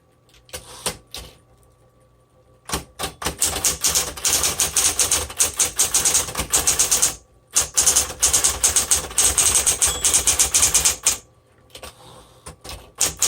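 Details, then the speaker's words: 1960s Smith Corona Coronet electric typewriter typing normally after it had locked up at the end of the ribbon spool and the ribbon direction was reversed. Crisp, quick keystrike clacks, about three a second, in an even rhythm. "Okay, so this works actually excellent. There was no issues with it."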